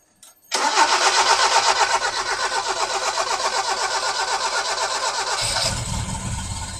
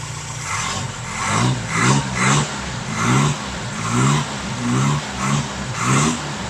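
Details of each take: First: 1971 Toyota Celica TA22 with a newly fitted carburetor and new fuel pump, first start on new fuel: even cranking, about four turns a second, runs several seconds before firing while the dry fuel bowl fills. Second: 1971 Toyota Celica TA22 project car, freshly fitted carburetor and new fuel pump, first drive in about a decade: engine catches and is blipped in short even rev bursts about once a second, pulling up cleanly each time.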